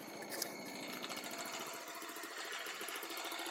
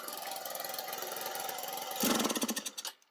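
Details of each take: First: Baja Dune 150 buggy, Chinese single-cylinder engine, after rejetting the carburetor with a 110 main jet: steady, even chugging pulse rising and falling smoothly, slight smoking; now running well, far better than before. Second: Baja Dune 150 buggy with Chinese engine, after new spark plug and coil; small engine idles unevenly, surges when throttle opens, sputters a few pops and dies; starts fine but dies on gas, owner suspects carburetor.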